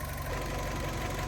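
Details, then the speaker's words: 2008 Fiat 500 1.2 petrol, one owner, 25,000 miles, after repair of a rough idle (MAP sensor suspected, timing questioned): smooth, even low idle with no misses, hunting or stumble. Normal idle. "Good news! As you can hear, the idle is fixed."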